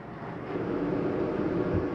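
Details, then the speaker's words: 2024 Flagstaff Shamrock 233S travel trailer furnace fan kicking on underneath after heat is selected on the Coleman Mach thermostat: soft hum swells and settles into an even drone. Normal start; the fan runs a couple of minutes after shutoff. "you hear that kick on underneath there. Now when I shut that off, that takes a couple minutes to cycle through before the fan for the heater will shut off."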